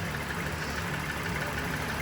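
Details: 2021 Mercedes-Benz E350 (W213) with a misfire and check engine light, after new spark plugs, ignition coils and fuel pump work. Steady, even idle hum with a soft regular pulse and no stumble; fuel injectors are next if the fault persists.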